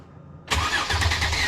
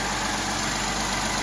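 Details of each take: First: Mercedes M276 engine (GLE 350 type) first start after PCV valve, high-pressure fuel pump and intake reassembly: starter churns about four seconds with fuel lines dry before it catches and idles; extended cranking before start. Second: Mercedes M276 engine (GLE 350 type) just after PCV valve, high-pressure fuel pump and intake reassembly: even steady idle, smooth hum, no knocks, ticks or misses; normal idle while checked for fuel and oil leaks.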